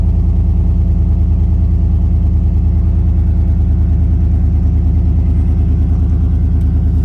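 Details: 2014 Chevy Suburban at startup: a loud, deep, raw, unmuffled rumble with strong even firing pulses. The exhaust is open because the resonator was cut in an attempted catalytic converter theft, leaving no resonator or muffler.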